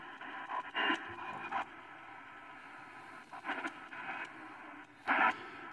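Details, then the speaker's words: Arbor Day Foundation CN-R1093FM radio on AM: scratchy crackle bursts over steady hiss as the tuning wheel turns. The owner is unsure whether the DSP chip or the tuning dial causes it, and later thinks it is probably the chip. "I don't know if that's the DSP chip or if it's the tuning wheel, the dial going on there."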